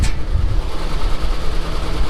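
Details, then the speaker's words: 454 V8 in a moving truck that sat seven months, idling cold after a ground repair; deep, even low rumble with steady beat, no knocks or misses, oil pressure up, coolant had been low, slightly smoky exhaust from cold; running fine. "i'm not sure why it was low but i'm working my way through this to kind of see what else is wrong with it but it's running nice"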